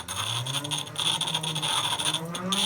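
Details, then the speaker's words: Restored antique Carborundum hand crank grinder (Manchester, UK, likely early 1900s), clamped to bench, wheel slightly skewed, no tool rest: even scratchy rasp of metal on stone with low hum; few sparks but removing metal; works normally. "but not many sparks but it is taking metal off"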